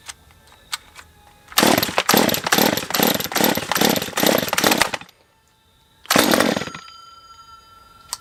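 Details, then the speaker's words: Stihl MS194T chainsaw two-stroke with fuel issues, previously a no-start: revs in uneven surges for a few seconds, stalls, then catches briefly and dies; owner suspects it is sucking air, possibly spark, not confirmed. "This sounds like it's sucking air still. Alright, back into it. Yeah, I mean, I can hear it sucking air or something."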